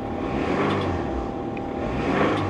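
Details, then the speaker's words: 1993 Nissan Maxima at an auction yard, 180,000 miles on the odometer, check engine light on: rough idle with a deep, steady knock beating under the engine noise; rod knock, likely why it was parked. "Oh yeah. We'll shut her down. She got a rod knock. Guess that's why she was parked."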